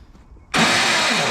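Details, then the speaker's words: 1985 Chevy K30 4x4 rollback wrecker, no-start diagnosis: a high smooth whirring whine with no cranking beat, the starter spinning without engaging the flywheel. "oh all right yeah that's not good um starter is not engaging with the flywheel doesn't even sound like it's trying to engage"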